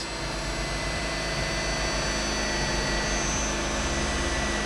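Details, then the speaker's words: Mazda RX8 race car with newly installed JDM Renesis rotary engine, first start after install and plugging a vacuum port; starts immediately, check engine light on; steady even busy buzzing hum, settles smoothly into idle without stumbles, to warm up checking leaks; normal idle. "see what that is she lives I think mostly only she turns on and turns off in idles for 10 minutes 15 minutes something like that"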